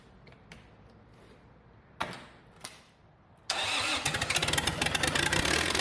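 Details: Red-D-Arc D300K welder generator, Kubota V1902 four-cylinder diesel, restored, just after gravity-feed priming with fuel reaching return line: a few clicks, catches at once and settles into quick, even idle clatter; normal start.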